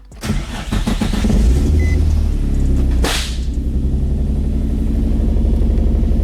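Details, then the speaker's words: Nissan 350Z, rebuilt, in neutral, second startup after exhaust welding: cranks and catches, then one sharp bang about three seconds in before settling into a rough, even idle. Backfire on startup, cause not confirmed. "what that was that noise what what noise is that backfire probably yeah thing backfired first startup oh second startup"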